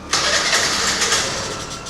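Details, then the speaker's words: TVS Scooty Pep+ BS3 carbureted scooter with starting problem: catches with a rush of rough uneven running, then dies within two seconds, repeatedly; starts then stalls, suspected air filter or carburetor, to be cleaned. "Same పరిస్థితి sound చూడండి ఆగు on అవుతుంది ఆగిపోతుంది on అవుతుంది ఆగిపోతుంది"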